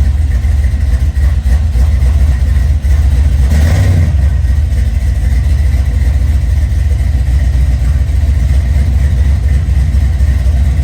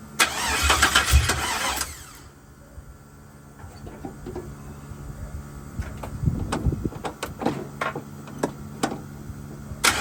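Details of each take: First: 1979 Chevrolet C-10 with a 5.3 LS swap, first start after a roughly two-year build, new gas tank fitted and fuel leak fixed: steady, even low rumble with one brief blip, no misses or knocks; normal idle. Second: 1979 Chevrolet C-10 with LS-swapped 5.3 V8, first start attempt with fuel pump relay bypassed: long cranking catches into a brief uneven burst, then stumbles and fades out; hard start.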